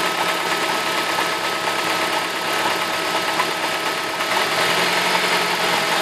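Engine idles with a light, fairly irregular ticking knock around two per second over a busy, hissy top end; the cause is unclear.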